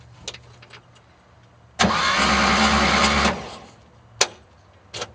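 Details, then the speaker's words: Engine cranking with only one exhaust pipe fitted, showing slight compression: a harsh high screech lasts about a second and a half during cranking, then stops. Source of the scream unclear. "it sounds like the turn it one more time but it's just making that horrible screaming sound"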